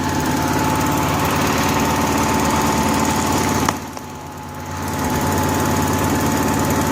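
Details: Honda gasoline welder generator with fuel-starvation trouble, running on a newly added electric fuel pump jumpered to the battery: small engine drones at steady speed, sags briefly for about a second and recovers, otherwise running evenly.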